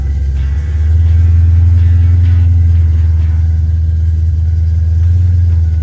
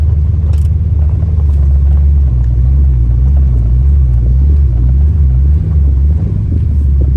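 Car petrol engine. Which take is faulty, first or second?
first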